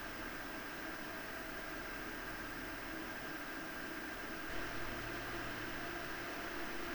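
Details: PowerColor Radeon RX 7900 GRE Fighter graphics card on an open bench: smooth even rush of air with faint low hum and slight metallic tone, swelling as fans speed up; normal cooling fan noise.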